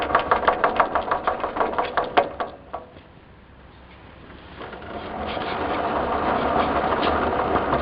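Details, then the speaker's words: 1958 Wheel Horse tractor with early-style (1958–61) gears, microphone near the transmission: about three sharp knocks per second for a couple of seconds over the small engine while rolling in reverse. Worn transmission gear teeth. "When you roll in reverse, you can hear a knocking noise. Forward, you don't hear anything. When you roll in reverse, you hear the knocking noise."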